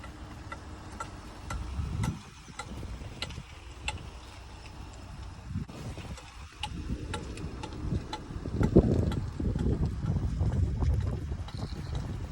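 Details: 2011 Jeep Grand Cherokee while driving: sharp regular clicking knocks about twice a second over road rumble, more pronounced in low-speed circles, from a worn driveshaft joint; driveline replaced.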